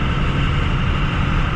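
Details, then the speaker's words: Hotshot pickup with NV5600/NV4500 manual transmission towing a 15,000 lb trailer: heavy low drone under load with coarse gear growl; gearbox sounds rough though shifts feel smooth. "these nv 5600s or nv-4500 sound terrible if you guys can hear that okay that's silent that's brutal i hate the sound i hate the sound of this"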